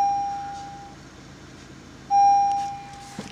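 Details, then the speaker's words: 2012 Honda Civic with about 60,000 miles, airbag missing: single clear chime repeating about every two seconds in a quiet cabin with the check airbag system light on, staying until the airbag is fixed. "check airbag system and now it's gonna start making that sound a little bell sound and he won't go away see that sound and that he's gonna stay there until you fixed that airbag"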